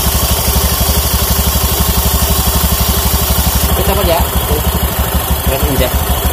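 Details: Honda Beat FI scooter after CVT service, clutch noise gone: even, steady single-cylinder putter at about three beats a second, no belt-drive rattle; normal idle. Still due cleaning, oil change and injection reset.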